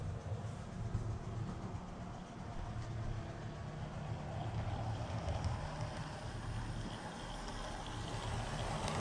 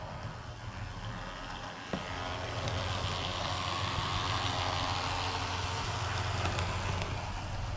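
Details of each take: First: Model train locomotive run on the Woodland Scenics Grand Valley layout after cleaning: only a soft, even low rumble, no buzzing or electrical noise, unlike its weed-eater-sounding sibling; normal quiet running. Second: Walthers model locomotive back from a shop with a Go pack fitted, sent off for unusual noises: steady low buzzing drone with a rough rattly edge, like a weed eater, persists; its sibling runs quiet. Cause not pinned down.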